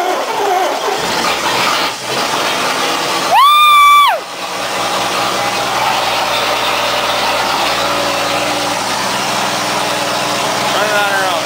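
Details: 1966 Plymouth Fury II first start after 22 years stored in a shed, battery in, some smoke and a small leak: settles into a steady, even idle with soft exhaust burble, running smoothly.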